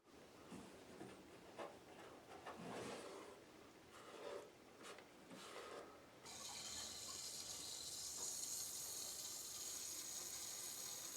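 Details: Water turned on to a hot water pipe with a hole under the concrete slab to a guest bathroom: scraping and handling, then a steady high hiss from below the floor with slight knocking as water seeps.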